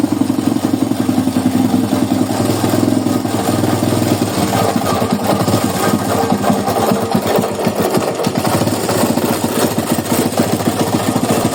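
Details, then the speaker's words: Small single-cylinder motorcycle engine (Titan, carbureted) running with a harsh rattling clatter; mechanic plans to check the flywheel side, diagnosing a failed crankshaft bearing. "esse lado aqui tem alguma coisa Solta aí o rolamento do virabrequ pifado"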